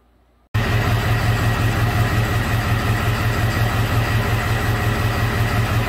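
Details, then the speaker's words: 2001 Ford F550 7.3 Power Stroke diesel with low power, check engine light, codes P0118, P0237, P1273, after injector buzz test: steady low idle with an uneven loping beat; definite misfire, cylinder number three suspected, cause not found. "but you can hear this thing it has a definitely has a miss in it"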